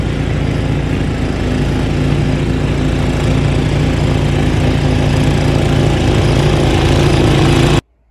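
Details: Snow blower small single that had stalled in wet snow, after its main jet was cleaned with a clipped wire-brush wire. It holds a steady, even speed with no surging or stalling until shut off: running normally.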